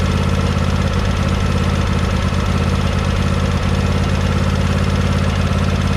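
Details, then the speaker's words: John Deere 100 Series lawn tractor engine at idle after valve adjustment; light fast tick about three a second over low drone persists; valves were already tight, cause not found. "yeah you can really hear it back here muffled some of them up yeah muffle some of the engine noise but that ticking i guess you"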